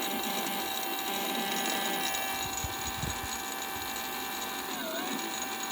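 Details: BBS02 mid-drive e-bike motor: a thin high-pitched whine with a faint buzzy rattle and a pitch dip near the end; strange noise, cause unknown.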